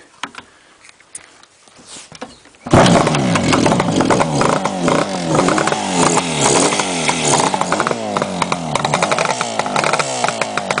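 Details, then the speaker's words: 1967 Yamaha YR1 350 Grand Prix two-stroke twin, all original, cold start at about 25°F with choke, baffles removed: fires at once into a loud crackling uneven popping idle, no excessive piston slap; normal healthy cold start and idle. "as you can hear it sounds pretty tough without the baffles motorcycles nice no excessive piston slap"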